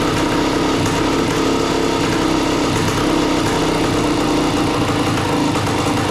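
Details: A 1976 Suzuki TS185 two-stroke dirt bike, long-stored and just revived, gives an uneven, popping idle that wanders and stumbles after idle screw adjustment.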